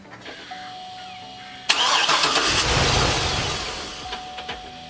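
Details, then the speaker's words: 2008 Hummer H2 with codes P0230 and U0109, no communication with fuel pump control module: starter spins the engine at an even steady rhythm for several seconds but it never catches; crank no start from a failed fuel pump control module. "As you've seen it, this is the what problem I'm seeing with my HUMMER H2. Keep cranking, it does not start."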